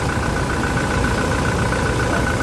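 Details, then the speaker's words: Toyota Innova Reborn diesel idling after replacing the slipping alternator pulley that caused a flashing battery light; even diesel clatter, no squeal or belt chirp, quieter than before; charging now about 13.5 V versus about 12 V before. "Nah, terus bunyinya juga sudah sedikit lebih anteng ya dibanding yang tadi ya sebelum kita kita ganti poli ya."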